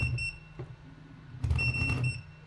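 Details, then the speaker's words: Superflux electric board with a 20S battery: bursts of short high-pitched beeps over a low hum as the controller sounds a warning; suspected high-voltage warning from an incorrect float config threshold, later raised to 86. "giving me some warnings. I think the high voltage warning because it's not set up correctly in float config."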